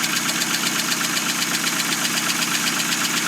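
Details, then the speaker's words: 2000 Hyundai Accent at cold idle just after clutch and transmission install, not run in a long time: fast even light ticking about four per second over steady idle, sewing-machine sound; cold tick, cause unconfirmed, needs warming up. "By golly, this thing is working. It sounds like a sewing machine because it's not been running in forever. So, it needs to warm up a little bit."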